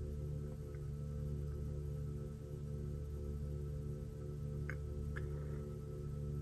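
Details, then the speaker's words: Tesla Model 3 with failing 12V battery, power-reduced warnings: steady low hum of several even tones while the window struggles to close in increments, a humming that doesn't sound good, from the weak 12V battery. "if you listen closely to hear that some kind of humming of some sort that doesn't sound good actually"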